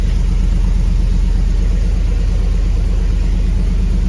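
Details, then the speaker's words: Hemi V8 swapped into a Grand Wagoneer, just started after the fix: deep, even rumble at a steady idle with no ticking or stumble, and oil pressure looks good; a clean, healthy, normal idle. "The motor sounds good though, sounds happy. Oil pressure looks good."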